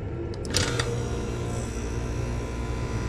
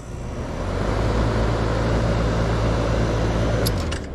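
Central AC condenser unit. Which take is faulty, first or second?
first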